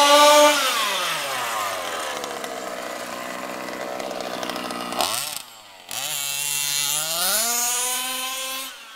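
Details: HPI Baja SS RC car with Zenoah G320 engine and V2 Dominator exhaust, rebuilt, on 91-octane ethanol-free fuel with Bel-Ray oil at 32:1; high-speed needle test: sharp buzzy pitch sweeping with throttle, crisp high revs, slightly lean (later corrected).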